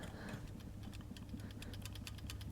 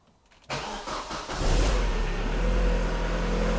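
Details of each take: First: Vauxhall Zafira GSI rebuilt Z20LET, removed balance shaft assembly turned by hand out of the engine: faint, quickening dry clicks, identified as the cold-start rattle; the noise comes from the balance shafts, not the engine. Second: Vauxhall Zafira GSI, rebuilt Z20LET, first start after a balance shaft delete meant to cure a rattle when cold, with a fresh oil fill and new filter: cranks, catches within a second and settles into an even idle without knocks; no oil leaks.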